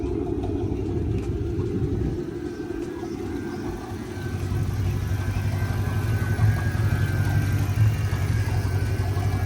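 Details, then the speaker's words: Chrysler 300C V8 on a drive with code P0306 misfire: lumpy idle with an occasional sputter and a small squeak; owner suspects a bad lifter, with a chewed cam already due for replacement. "And here you can hear that small It'll sputter like from time to time."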